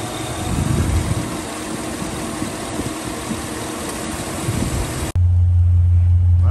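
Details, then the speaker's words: 2007 Chevy Tahoe, P0307: lumpy shaking idle with uneven chuff three to four times a second; cylinder 7 misfire that persisted after new plugs, wires, coil, caused by collapsed AFM lifter. "so this is it so just looking at my engine you can see it just sitting there just shaking uh it should not be running like that this is a misfire cylinder seven"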